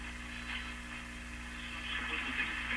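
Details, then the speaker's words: Classic Addison 5-tube radio after replacing paper and wax capacitors, line voltage raised from 93 to 113 V: steady low power-supply hum under the audio with hiss above; hum disappears at lower voltage. "Let's try 113. I'm not going to sound any different. A little louder. Oh, the hum is showing up."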